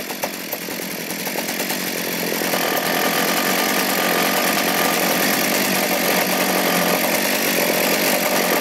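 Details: Poulan P3416/P3314 chainsaw idling outside after cleaning, hose replacement and a carb rebuild with a HIPA diaphragm kit: small two-stroke buzz at a steady, even idle with a light ticking rhythm, no stumbling or surging; saw sounds healthy.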